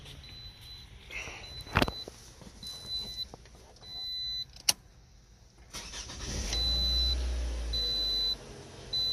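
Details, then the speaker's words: 2006–2012 Toyota RAV4 2.5 four-cylinder after new alternator, belt, belt tensioner and battery (13 V before start); a few clicks and chimes, engine catches cleanly and settles to steady idle; healthy start. "lights on the dash. Beautiful."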